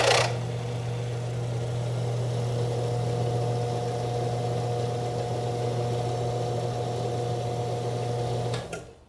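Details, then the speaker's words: Alternator on a bench test rig, driven by an electric motor through a belt tensioner, testing the voltage regulator. There is a steady, even motor-driven hum for about eight seconds before winding down, which is normal operation. "Eu vou ligar o motor e a gente vai ver então que assim que o alternador ganha rotação, a lâmpada vai apagar."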